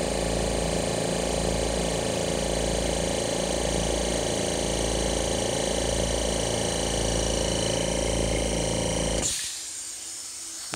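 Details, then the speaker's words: Oil-less dental air compressor after a reed valve repair. Even pulsing hum with a fast piston beat and no knocks; it shuts off at 110-115 psi with solenoid blow-off valves venting. Normal compressor operation. "she set shuts off at about a hundred and ten hundred and fifteen psi and then kicks back on at about ninety and you heard the blow off valves basically these solenoids blow off the line pressure so that these motors could start without having any resistance"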